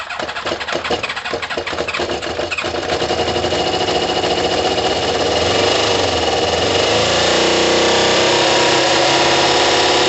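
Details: Kawasaki ZL600 motorcycle with new coils, tuned carbs and valves done, after swapping plug leads; cold, coolant hoses off: uneven catching pulses for two seconds, then it fires and runs up to a loud, steady, even roar on all cylinders; normal start.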